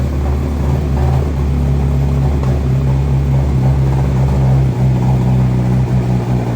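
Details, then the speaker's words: 2023 BMW M1000RR Competition with an aftermarket exhaust and mods, first completely cold startup with no tuning and the ECU not yet flashed: a loud, deep, uneven blatting idle with a flat rasp; it runs rough, then settles, with errors on the dash. "wow that sounds horrific that sounds real bad again that's with no tuning on here"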